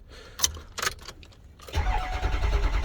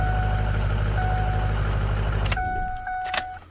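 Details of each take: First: 2005 Ford F-250 6.0 diesel with an intermittent crank-no-start: steady cranking at about three turns a second without catching; code P2614 present; cam position sensor being replaced. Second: 2005 Ford F-250 6.0 diesel after camshaft position sensor replacement for intermittent cranking no-start: fires quickly, settles into a steady even low-rumble idle, then shut off; starts much quicker now. Normal start.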